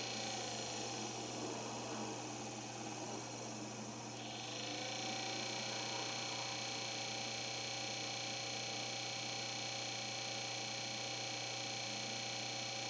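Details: Corsair HG10 N780 GPU cooling bracket blower fan, used with an H45 AIO; replacement unit had the same fault: loud steady high-pitched whirr with constant tone, loud as a moped; excessive fan noise.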